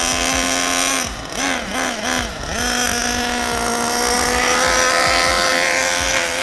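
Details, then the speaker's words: Basher SaberTooth 1/8 nitro truggy during break-in, temperature a bit below 200: a high, buzzy note that dips and wavers on throttle blips, then holds steady but soft; running rich, so the main high-speed needle is to be leaned 1/8 turn. "Alright, so we just temped our engine. It was running a bit below 200. So what we're going to do is we're going to lean the main high-speed needle about 1/8 of a turn, then run it around some more, and then retemp it and see if we have to adjust it anymore."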